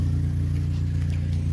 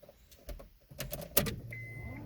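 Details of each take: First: Neglected, overheating Honda Civic with a hack-job exhaust after a failed catalytic converter, warm start idle: loud, deep idle with a rapid, steady puffing pulse, an exhaust leak right under the engine, possibly contributing to overheating. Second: Neglected 2003 Honda Civic EX automatic on a hot day, coolant-consuming, with a damaged exhaust: door chime, brief crank, then it catches at once and settles into a steady idle; normal engine start.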